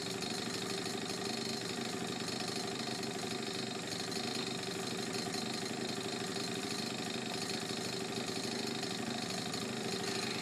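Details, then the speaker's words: Honda Urban Express NU50 two-stroke scooter, mostly stock: mixture screw moved from 2.25 to 1.5 turns out, idle speed adjusted, exhaust-to-cylinder joint tightened so it is quieter. Steady, buzzy, even idle with no misses. Normal idle. "tightened up the exhaust connection to the rear to the cylinder so it's a lot quieter than a lot it was it rides runs and rides great"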